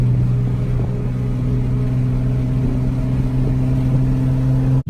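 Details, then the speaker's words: Nissan 370Z with Greddy exhaust, on a drive about 50 miles after the exhaust rattle work: smooth steady exhaust drone under light throttle, no rattling or metallic buzzing; the exhaust sounds normal and secure. "about 50 miles back old car sounds fine don't hear the rattling and hopefully stays like that permanently or for a while"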